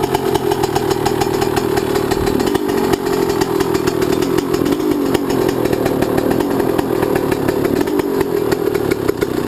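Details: YZ125 two-stroke, either the 2001 at its first start after a rebuild with a new Wiseco piston or the freshly rebuilt 1999: fast crackle holding a steady, even pitch with a couple of small blips; runs clean and smooth.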